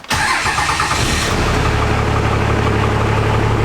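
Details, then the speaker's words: Diesel truck just after compound turbo install and oil change: cranks briefly, starts at once and settles into a steady, even idle with no knocks or misses; normal start, oil leak being checked. "right there it started up perfectly normal"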